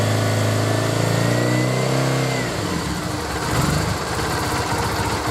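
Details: Triumph Bonneville twin after replacing failed regulator that stopped battery charging: even idle with a steady low beat, one smooth rev rising and settling cleanly, no misses; charging 13.9 V at idle.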